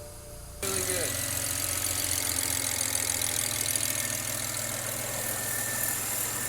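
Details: BMW E90 335i with the N54 after reconnecting the vacuum lines and clearing faults, so the low-pressure fuel sensor code is gone: engine catches after a short crank and settles into a steady, even idle with no stumble or misfire. Normal idle.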